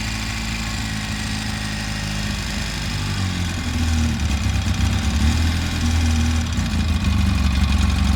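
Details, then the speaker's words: Polaris RZR, newly reinstalled engine on first start and heat cycle, coolant being burped: low steady idle picking up smoothly with throttle, even beat, sounds healthy; normal idle, though it warms quickly and keeps starting and dying. "Running good though. Sounds good."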